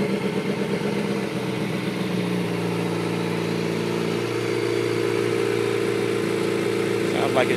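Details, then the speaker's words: 2005 Kawasaki ZX-6R 636cc track bike, 7,219 miles, Muzzy full exhaust, Power Commander, just about warmed up after cold start: smooth even idle with steady buzzing pulse, no ticks or knocks. "about warmed up see it's running really smooth no issues"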